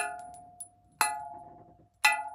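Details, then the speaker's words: Propeller tap test before fitting new prop shaft and sigma drive coupling: prop held by centre, two taps on a blade ring out with a clear sustained metallic tone, not a dull thud, so prop is still healthy. "that sounds okay you know there is a definite ring and sound there so uh maybe i don't need a new prop just yet"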